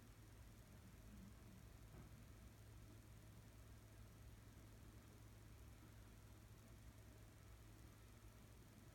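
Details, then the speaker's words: 52-inch Seagull Lighting Celebrity Deluxe ceiling fan in a hotel room on low speed: faint, steady low hum with no ticking, rubbing or wobble; runs quietly, though it may not be screwed in properly. "we'll start it off on low it is a bit loose it's not I don't know if I don't think it's screwed in properly pretty quiet for the most part"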